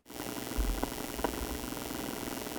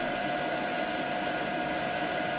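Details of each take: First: EcoFlow River 2 Pro inverter powering a guitar amp: loud steady hiss and buzz with popping from electrical noise on the inverter output, which measured over 2000 mV on a dirty-electricity meter. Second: EcoFlow River 2 Pro LiFePO4 power station under 800 W max load test at 120 V output, fans kicking to highest speed after about 11 minutes, 59 dB at 3 feet; steady loud whoosh, constant high fan tone; fans at full speed under load.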